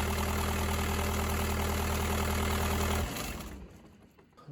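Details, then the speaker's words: Bobcat S185 running with AC switched on: steady droning hum as the belt turns a locked-up compressor clutch center; compressor to be replaced. Seized AC compressor clutch. "all right so i've got the machine running and what i'm going to do is just turn my air conditioning on and you can hear this ball so what's actually happening is the compressor is locked up"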